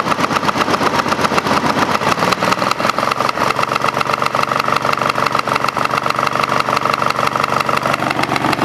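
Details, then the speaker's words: Craftsman GT5000 lawn tractor twin, cooling fan and housing not fitted, after Woodruff key replacement: uneven, lumpy idle with a shaky beat. Vibration does not worsen with rpm, so owner doubts crankshaft or balance trouble; cause unknown. "if it was a mechanical vibr ation as the RPMs got come up it would get worse you know if I had a problem with the crankshaft or some weight problem you know so I don't know what's going on"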